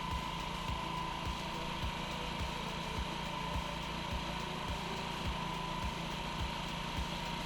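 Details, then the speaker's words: Honda Ruckus scooter with replaced carburetor and new fuel line, idle screw turned about a quarter turn, cold start warming up; small single ticks at a quick even beat of nearly two per second, cold fast idle just starting to ease down. "all right here's where it's warming up going be on standby it needs a little bit more"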